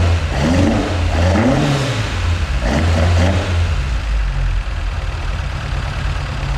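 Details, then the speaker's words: MK2 Escort with Pinto engine: the carbs are only roughly set up to run and idle, so blips give uneven, lumpy revs that stumble back to a ragged idle, with backfiring. Rough running from untuned carburettors. "The carbs still need setting up, so that's why they're a little bit lumpy, and they are backfiring at the touch. They've just been mildly set up just to get it running and idling."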